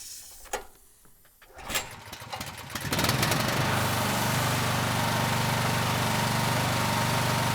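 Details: Honda GX390-powered 4,000 PSI hot water pressure washer after replacing a locked-up pump with a new RRV4G40, burner off, building pressure with tip fitted: pull start catches after a couple of tries, then steady even run under pump load; healthy.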